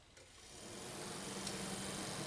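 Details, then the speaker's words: Second-hand radiator cooling fan for Kawasaki Eliminator ZL600, bench-tested on 12 volts: soft whoosh building over a second then steady, no rubbing or rattle; fan spins normally and moves good air. "it actually spins and produces quite good amount of air, so I'm happy with that."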